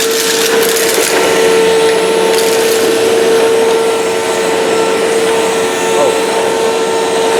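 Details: 2005 China-made Hoover Wide Path Preferred U5018-900 upright vacuum, 12-amp motor, test run on floor with debris: steady high motor whine, constant airflow rush, scattered crackles of debris pickup; normal running.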